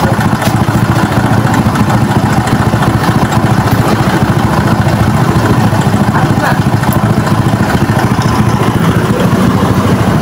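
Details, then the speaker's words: Motorcycle that only revs to 6000 rpm: uneven, coughing, sputtering idle with misses. Carburetor cleaned and adjusted and wiring continuity OK, yet it won't keep running; part replacement needed, cause not confirmed. "Yan, kahit anong adjust na natin sa kanyang karburador, asthmatic pa rin yung kanyang andar, pumupugak-pugak pa rin, parang inuubo."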